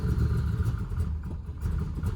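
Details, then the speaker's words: LT1 engine after its first retune from stock, mass airflow sensor plugged in: an uneven, lumpy, surging idle that won't settle. It starts fine but needs throttle held to keep running, so it runs rough. "this is with the mass flow detector plugged in"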